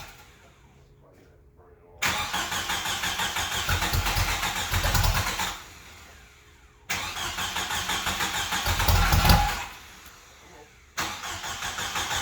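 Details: 1995 Jeep Wrangler YJ, first start in years after new fuel pump and filter replaced rotten gas and a shot pump: several bursts of quick even cranking that catch and run with a steady beat between pauses; normal start and running.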